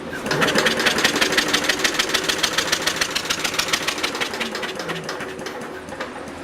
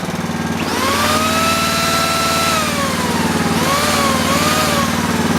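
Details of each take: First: Universal model 42 RSS generator, 2500 W, 1800 RPM, cold start after sitting 5 years: rapid, even starter chugging with no firing; no spark at the plug. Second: Universal 2500 W generator with points ignition, restarted after sitting 5 years, points filed clean, running with a drill load; steady even drone with smooth governor sag and recovery, normal running.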